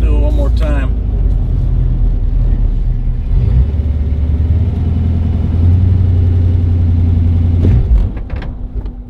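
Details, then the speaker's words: Datsun with Chevy 350 V8, stumbles under launch and has no ignition when hot, coil being replaced: deep rumble holds under throttle when launched from about 1500 rpm, stumbles, then fades and dies; stalling after launch stumble, cause not confirmed. "So if you run up to about 1500 and then launch, you can hear it stumble before it goes."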